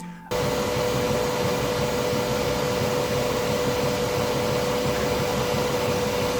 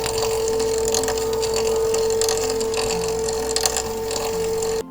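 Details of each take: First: Bambu Lab P1S 3D printer printing at high speed: a loud steady whoosh with a constant mid-pitched tone from the part cooling fan and the fast motion, whose vibration and high-pitched noise is normal but loud. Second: Bambu Lab P1S 3D printer with its build plate moving up and down on the Z-axis, heard randomly or during initial setup: a steady high-pitched tone with faint clicks, which is an abnormal Z-axis noise of unstated cause.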